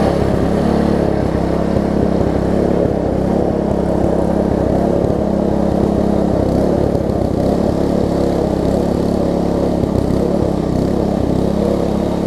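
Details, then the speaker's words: Troy-Bilt Tuffy rear-tine tiller, reassembled from pieces with the carburetor diaphragm refitted: even, steady single-cylinder chug with no misses, knocks or surging. Runs well; only a slightly worn cable is suspected of not moving fully. Normal running. "apart from that this thing runs good feels good and all that stuff so let me crank it up force"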